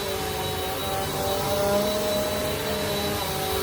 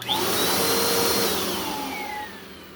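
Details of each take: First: Refurbished 2017 Bissell Powerforce Compact 2112 on pile carpet after freeing the brushroll bearings and adjusting the filter assembly for a wind-down howl: a steady, even motor whine and smooth brush drone with no rattles. It runs healthy. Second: 2017 Bissell Powerforce Compact 2112 vacuum after brush roll bearing swap: thin whistle over steady motor roar, falling in pitch as the motor winds down; air leak somewhere, not the brush roll; air leak whistle.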